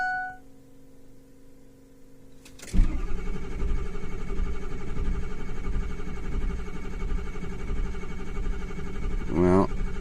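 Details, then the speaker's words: 2006 Ford F-350 6.0 diesel cranking steadily without starting after ICP solenoid, pressure regulator and oil change; ICP only 400 psi versus 1688 desired, suspected high-pressure oil leak or defective regulator. "got 400 psi that's not quite enough hmm desired pressure was 1688 and vetch if we give this a little sniff of ether it'll start there must be a high pressure leak in the system some place or that pressure regulator is defective"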